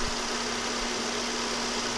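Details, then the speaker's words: 2014 Nissan Sentra B17 after new serpentine belt and tensioner, idling with AC compressor on: smooth even idle, no squeal or chirp; belt running straight and quiet. "all right everything seems good so we can button her up you can see that everything's riding on the alternator good everything's riding straight there's no squealing"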